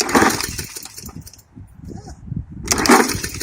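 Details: Hyper Tough lawn mower: two rasping pull-cord pulls spin the engine but nothing fires; cranks but still won't start, possibly unconnected plug wire.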